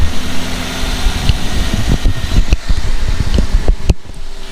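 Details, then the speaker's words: Toyota Avanza with the AC on: loud, low growl and rumble with irregular clunks over the fan whoosh from a worn AC compressor; the air is not very cold, and with a hot engine at idle the compressor cycles on and off. "kondisinya tuh seperti ini kalau ACD nyalain si kompresor AC Itu berisik banget Nah suaranya kayak gini"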